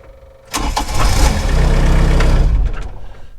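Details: Cat 304 mini excavator with an intermittent click-no-start fault: brief even cranking catches quickly into a steady low diesel rumble settling toward idle; normal crank and start.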